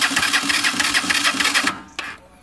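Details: Motorcycle cranking with quick, even pulses for under two seconds; engine never catches before the starter stops, cranks but won't start.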